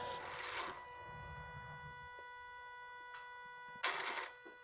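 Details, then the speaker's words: 2005 Kawasaki Brute Force 750 V-twin ATV during belt light/limp mode reset, key cycled on three times: faint steady electric whir with thin tone and a few clicks; normal actuator cycling after key-on. "so once you've done that three times you'll wait for that noise to go"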